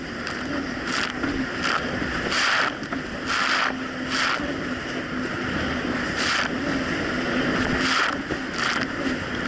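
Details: 2007 Yamaha VX Cruiser jet ski on choppy Lake Michigan after new, properly gapped spark plugs replaced mis-gapped old plugs: steady, even engine drone under wind and water splash, holding speed with no surging or cutting out; running healthy.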